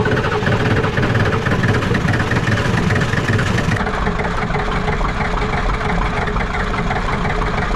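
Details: Ford 7.3 IDI diesel after glow plugs reconnected and air bled from the fuel system; steady low diesel clatter, even with no misses or knocks, a healthy idle, high idle still working.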